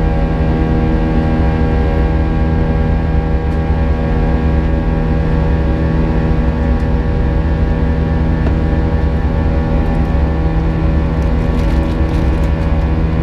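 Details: United Airlines A320 climbing out of Houston IAH for NYC LaGuardia, recorded in the cabin: steady buzz-saw engine drone with a thin high whine from 1:33 until level-off; cause unknown, and the uploader heard it once before in an exit row.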